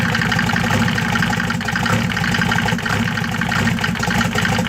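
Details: 1993 Mercedes OM602 diesel at idle: loud, steady clatter with an uneven, lumpy beat that never settles; rough idle.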